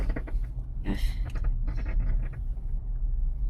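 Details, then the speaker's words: Irregular light clicks and knocks over low road rumble as the front wheel is turned; suspected loose front suspension part, being checked for grease leaking, cause not confirmed. "I hear clicking you can hear it clicking that's it"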